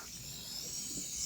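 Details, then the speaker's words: Oxygen tank (2,000 PSI) with regulator just fitted, valve opened: a steady sharp high hiss of gas escaping, a leak at the regulator connection that is fixed by tightening it with a wrench. "And as you can hear, I do have a leak, so I'm going to take my wrench and go ahead and tighten that down."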